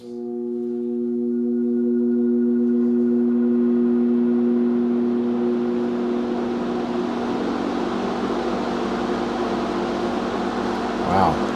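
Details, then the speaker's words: 1969 Sears (Vernco) box fan, 3.7 A 1/12 HP motor, started on high with the microphone against the motor. A clear steady motor tone at switch-on as the airflow builds smoothly to full speed: a healthy startup. "it has a very prominent startup sound I'm going to start it up for you and then I'm going to put the microphone right up against the motor so you can hear it more closely"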